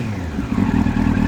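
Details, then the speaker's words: 1999 Yamaha R1, carbureted, cold: engine keeps running on its own with a steady, slightly lumpy cold idle, no stumbling or cutting out; the earlier dying after three seconds was blamed on a failed neutral switch. "it's running it's still running it's cold so it's kind of bouncy it is a carbureted bike and we're still running"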